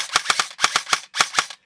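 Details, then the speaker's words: Airsoft AEG with Version 2 gearbox, test-fired after reassembly with grip and motor installed and battery plugged in; crisp even clacks in bursts of two or three shots, clean consistent cycling, fires properly. "make sure it actually still shoots in this case it does so we are good to go"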